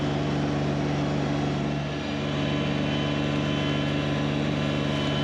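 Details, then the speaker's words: Kubota BX1870 diesel with 54-inch deck climbing steep hills through tall weeds, mistakenly left in high gear instead of low: constant whine over the diesel drone; transmission straining under load in the wrong gear. "I forgot to put the tractor back into low gear. You'll hear the transmission whining and see the tractor struggling a bit getting up these hills with all the tall weeds and high gear."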